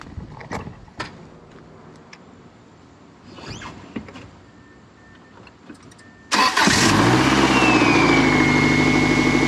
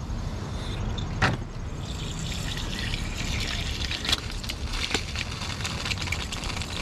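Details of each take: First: 1999 Subaru first start after engine install, no coolant, brief run: cranks a few seconds, catches around six seconds, settles into steady even idle with no knock, much smoother than before; slight smell from assembly lube burning off. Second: 1999 Subaru after engine install, cooling system filled with water only: steady trickle and splash of water hitting the ground with sharp drips; coolant leaking because the thermostat gasket didn't seal.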